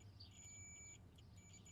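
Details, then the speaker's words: Multimeter continuity test on a known-good 20 A fuse taken from another truck, while diagnosing an OBS Ford F250: short high-pitched beeps as the probes touch, the normal continuity tone showing the fuse is good. "I've got another 20 amp fuse here I just stole out of the other truck you guys hear that beep this fuse is good"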